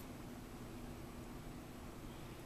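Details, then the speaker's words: Mid-century Galaxy hassock fan running on its low setting, after high and medium. A soft, even whoosh with a low steady hum and no wobble or rattle; the fan runs smoothly with no wiggle noises. "hear the fan wiggle or it's not making any noises sounds good let you listen low medium I off"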